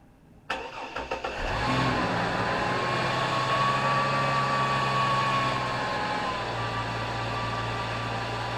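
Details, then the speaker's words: 2004 Chevrolet Blazer started after power steering pump replacement: cranks, catches and settles into steady idle with a faint thin whine from the new pump fading away, expected noisy at first; normal start and idle. "hopefully this pump's quiet it's gonna be noisy at first"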